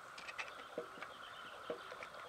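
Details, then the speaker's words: BSA A7 supposedly rebuilt engine, stationary crank pushed side to side: soft irregular clunks, oil pump gear rocking; gauge shows 0.4 mm (about 16 thou) crankshaft end float, considered excessive. "can actually hear the crank clunking backwards and forwards from side to side even see the oil pump gear rotating partially back and forth is moving that much"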